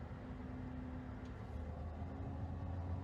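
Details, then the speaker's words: New 2021 Tesla Model Y Performance, parked: a steady low electrical hum with a faint tone that grows louder when the rear-seat air conditioning is switched on, with vibration felt in the steering wheel; source unconfirmed. An earlier-built Model Y is quiet. "now if i turn this on right here it's gonna get even louder did you hear that the difference it's even louder coming somewhere from over there"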